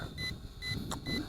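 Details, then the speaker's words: ATTOP W8 GPS camera drone on 2S 2600mAh battery in flight: short high beeps about twice a second over low propeller hum while app shows 39%; all lights blinking, low battery warning, displayed percentage distrusted. "okay I am not sure why that's beeping because it says we got 39% power coming around it flies very well actually I'm not sure that 39% is accurate"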